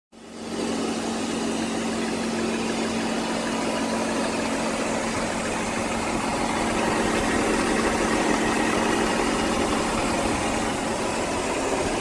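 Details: BMW E39 528i after fixing ticking/knocking caused by a loose fuel injector with damaged top O-ring and a small exhaust leak at the SAP check valve: engine settles into smooth even idle with no ticking or knocking.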